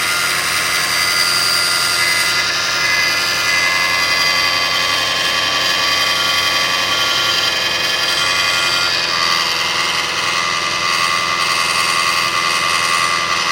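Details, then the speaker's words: 2005 Kia Sedona 3.5L at 116,000, after timing belt, tensioner, idler, water pump and balancer replacement, no accessory belts: steady high-pitched multi-tone whine at warm idle, goes away with higher rpm then returns; source unidentified. "So it goes away when you bring the RPMs up, but then it comes right back."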